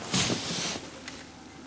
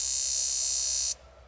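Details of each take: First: Range Rover Classic barn find sitting about 10–13 years, new spark plugs; about thirteen seconds of steady cranking that never catches, engine cranks but won't start; injectors suspected bad. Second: Barn-find Range Rover Classic, sitting about 10–13 years: rapid, sharp buzzing chatter as the cylinder 6 fuel injector clicks normally under a pulse tester; the cylinder 2 injector does not respond.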